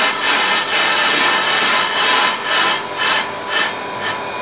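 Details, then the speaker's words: Pro-Cut 9.0 on-car lathe rough-cutting an EBC grooved brake disc: raspy cutting hiss fading out and returning each revolution, intermittent cut on high spots revealing disc distortion and misalignment (run-out). "let's see if it gives an intermittent cut or you can hear clear intermittent shutting down which shows that there is distortion and misalignment on this dish"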